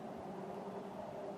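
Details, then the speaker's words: 2000 Ford Expedition: steady, even electric-motor hum from the ABS pump that keeps running continuously, even with the key off, since it has constant power; stopped by pulling an under-hood 30 A fuse. "you're driving along in your Ford Expedition um mine happens to be a 2000 and these are notorious for having this problem and you stop and you hear a pump running you can shut the key off and still hear it um and it's your ABS pump which is down under down under there"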